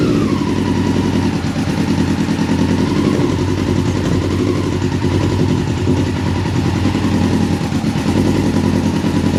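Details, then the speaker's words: 1999 Yamaha R6 inline four, first start in 10 years, on jump pack and external fuel tank, fast idle on choke; uneven, lumpy, stumbling beat, running on three cylinders, one carb leaking fuel. "now obviously the bike is sounding a bit rough like it's running on three but a start is a start and it's one thing off the list"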